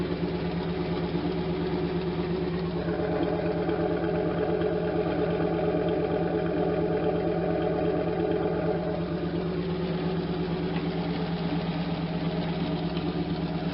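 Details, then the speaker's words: 1992 Camaro Z28 with a stock L98 350 V8 and the stock muffler, before the muffler swap: a lumpy idle with a faint puffing tap about twice a second, from an exhaust leak at the spot being worked on. "it's got a little tap cuz it's leaking out right here where we've enough where I've been working on but it doesn't sound bad for stock"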